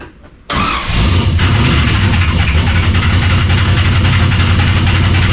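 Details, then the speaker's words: Cold engine fires, then a rough clattering slap rides over the idle about three to four times a second; a lower accessory belt found very loose, sounds better after tightening. "Thinking all that racket up there, it sounds like there's belts. Getting in and out of this thing is a pain in the butt. So what do we got going on here? I hear a bunch of noises. Oh, all right, makes sense. This belt down here is loose as anything."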